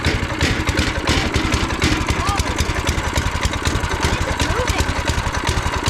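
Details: New 7hp go-kart engine replacing a blown 5hp Honda, with torque converter, first start after adding oil and fuel: small single-cylinder runs with steady, even low thump and picks up cleanly with no knocks; healthy.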